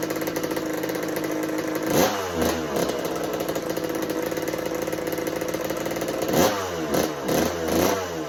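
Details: 1986 Kawasaki KX125 two-stroke on its repaired choke, petcock on and float bowl refilled. It is kept alive only by sharp throttle blips, stumbling between them, and won't idle. The owner suspects lean running from too little fuel, perhaps pilot jet or needle position.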